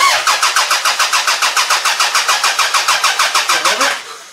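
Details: Toyota Camry demolition derby car, third day not running after it ran fine, OBD1 bypass done: even cranking about three and a half pulses a second, never fires; crank no start because the ECU had no power, fixed by jumping power to it.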